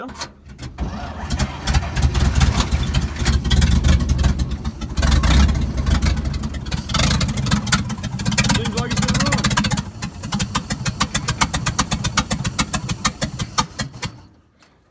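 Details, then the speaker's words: 1950s Dodge dump truck inline six, started after sitting 30 to 40 years, fuel poured into carburetor: uneven, surging running with irregular pops and heavy smoke, then it falters and dies as the dry carburetor runs out of fuel. "out of gas but it does run and smokes pretty good it seems that's probably just from its setting for however long it's set yeah carburetor is dry pour some more back in there and try it again"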